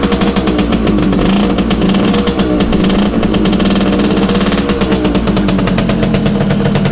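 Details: Restored Yamaha FS1M (Fizzy) two-stroke moped, ported with upgraded carburettor jets, started after turning on fuel: crisp ringing two-stroke crackle picking up cleanly through throttle blips; running normally.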